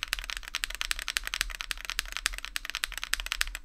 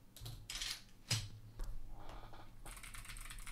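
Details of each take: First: Ajazz AC081 CNC aluminum gasket-mount keyboard with Akko Vintage White switches, typing on the bottom left, mic repositioned there: fast uneven clacks with a bright, slightly hollow ring; possible case ping or reverb on that side, not confirmed. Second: Ajazz AC081 CNC aluminum gasket-mount hotswap keyboard, stock clicky switches; uneven bursts of sharp, bright clicks, about two keystrokes a second, crisp high snaps: clicky switches working normally.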